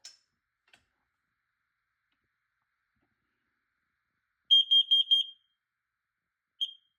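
A shrill high beep comes in a quick burst of four, then one more about a second later; alarm sounds normally on test.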